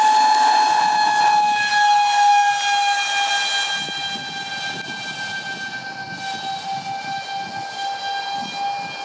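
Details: Su-35 RC jet EDFs (5-blade rotors, 2600kv motors on 6S) at high rpm: a high steady screech over the fan whine with pulsing vibration, from a cheap shaft adapter and mounting pads detached by vibration.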